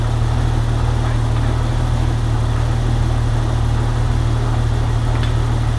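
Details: 1998 Jeep Wrangler TJ after AC system restoration and leak repair, engine at idle: steady, even idle with smooth low hum, no squeal, rattle or cycling clatter; compressor running normally, vents blowing about 45°F.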